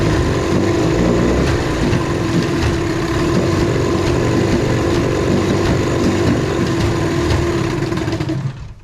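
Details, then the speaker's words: 1973 Evinrude 18 hp outboard on a 14 ft aluminium boat, pull start not working: it runs with an uneven, stumbling beat of about four pulses a second with gaps, missing steadily; cause not yet found. "sounds like it's missing quite a bit but at least it runs good"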